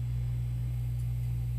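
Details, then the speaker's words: Newly installed Taco 007 hot water recirculating pump on a residential water heater, first run: a steady, smooth low hum that quiets as the air clears and strong water flow takes over. Pump operating normally. "that's a nice sound it sounds like it's running feels like it's running and I can feel water and I can hear as it were some air in there"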